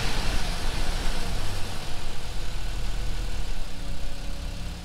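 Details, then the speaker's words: Jeep after cleaning the pulley and refitting the belt, warmed up a few minutes at idle: low steady rumble with no squeal or chirp; the belt squeal that had appeared above 2000–3000 rpm is gone. "seems like the squeal's gone. I didn't hear anything."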